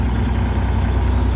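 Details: Terex articulated rock truck, Cummins M11 diesel, after fixing transmission stuck in neutral: deep, steady rumble holding even under load as first gear takes, drive engaging cleanly with nothing abnormal heard.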